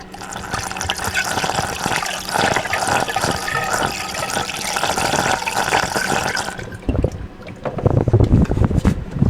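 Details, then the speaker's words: BMW E90 after a cooling system overhaul for coolant leaks: busy gurgling and bubbling as trapped air is forced out of the freshly refilled cooling system while it is topped off and bled. "But yeah, it should be making this like weird gurgling kind of, you should hear it."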